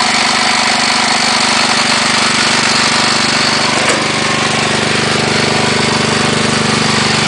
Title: CASE 444 PISTON SLAP